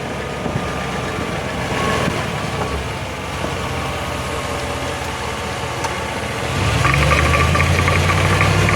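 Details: 2005 Jeep Grand Cherokee WK 5.7 V8, 136k miles, accelerating uphill, stereo mics (right toward axle, left toward driveshaft): engine drone with a faint tone rising and louder under load; rear differential suspected, not confirmed.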